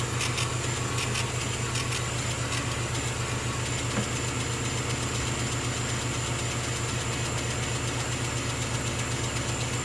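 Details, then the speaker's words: Small workshop air compressor kicking in during laser engraving, running with an even, steady motor thrum and regular low pulse, no rattles or squeals; quieter than an average compressor, likely a dental-surgery type; normal operation. "now we calculate a wonderful little air compressor will keep kicking in that their first drop thankfully is not as noisy as average"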